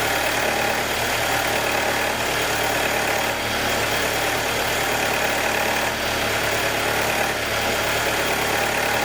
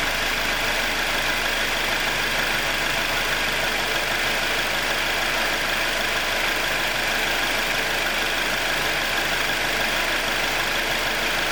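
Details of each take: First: 2021 Jeep Wrangler 2.0 petrol at cold start idle: fast, light ticking under an even hissy hum for about 90 seconds on every cold start, until the cold air intake takes a deep breath and the engine goes normal. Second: 2021 Jeep Wrangler 2.0 engine after a cold start, past a ticking cycle of about 90 seconds: steady, even normal idle with constant airy intake hiss, no ticking or knocking.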